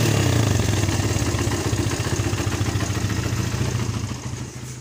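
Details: Suzuki Satria FU, started with the battery disconnected except ground after the charging fault was repaired without new parts: engine catches and runs with a quick, even beat near 200 pulses a minute, then winds down; fires cleanly, healthy.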